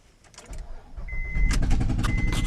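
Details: 2007 Honda Pilot, noise began after driving off a ramp, O2 sensor bank 1 sensor 1 code: uneven sharp pops and puffs over exhaust rumble, lawn-mower-like; misfire from blown-out spark plug.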